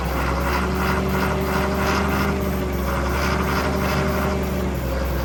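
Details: John Deere grader or 6850 articulating tractor diesel revived after sitting, on ether near wide-open throttle: uneven surging about three pulses a second over a deep rumble, hunting; stumbling from air still in the fuel system.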